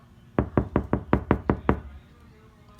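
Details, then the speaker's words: Knock test on passenger door after KilMat sound deadener, same spot as bare driver's door: seven firm knocks, short and dull with no lingering ring; sounds solid, well-damped panel. "The one with KilMat. Wow. That sounds solid. So yeah, you can tell just by knocking on it."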